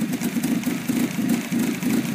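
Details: 2004 Kia Spectra5 2.0 L with rough idle, occasional erratic high idle, a check engine light and an exhaust leak: idle pulses unevenly, about four lumpy beats a second; owner suspects the idle air control valve.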